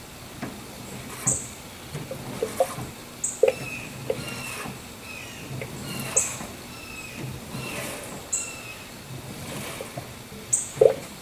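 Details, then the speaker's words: Engine off after replacing a power steering pump that had run dry from a leak; fluid topped up, steering wheel rotated back and forth: scattered soft pops and gurgles as trapped air bubbles up through the power steering fluid. "I can hear the bubbles. I'll show you. As I rotate the wheel, you'll hear the bubbles, the air coming up."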